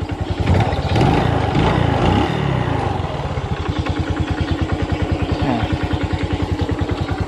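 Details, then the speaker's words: Honda Revo FI motorcycle lacking power and unable to climb in first gear: fast, steady "tek-tek" ticking riding on the idle and keeping pace with the engine; owner unsure whether it comes from the bearing or the clutch shoes, possibly the piston. "Nah, itu ada suara tek tek tek tek tek suaranya itu kayak di bagian sini."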